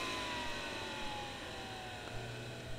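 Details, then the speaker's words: Webasto Dual Top diesel heater run without its ECU; the blower is slowed to about 20% after flame-out to keep air moving and cool it. Soft, steady fan whir easing down in pitch, a normal low-speed run. "20% be fine just to keep air going through it and cooling down."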